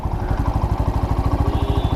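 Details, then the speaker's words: Black Panther bike engine idling fully warm after a service to fix an earlier engine noise: even steady thump about ten beats a second, no tapping or rattle; previous noise gone, normal idle. "आवाज में फर्क है रे बाबा आवाज में फर्क है मतलब जो आवाज पहले आया करती थी ना वो अब नहीं है तो इंजन जो है साइलेंट हो चुका है"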